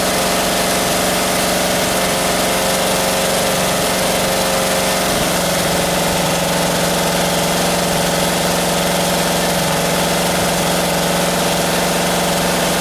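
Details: 1978 Camaro 350 engine, warmed to 190 degrees with exhaust fitted: steady warm idle with light fast clatter over the engine note; lifters rattling, valves still to be reset.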